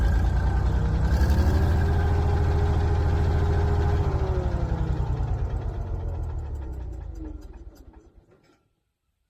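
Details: Old Caterpillar D6 dozer diesel running after fuel problem fixed, then shut off: deep, even chug at a steady beat slowly winding down, no knocks or misses; normal running.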